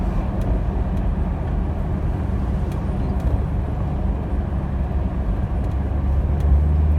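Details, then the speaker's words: 2018 Jeep Wrangler with suspension lift, test drive after work on a sway bar link for a passenger-side popping/thumping complaint: steady low road rumble over bumps and turnaround, no pops or clunks; quiet suspension. "it sounded very good through the bumps and the turnaround back there"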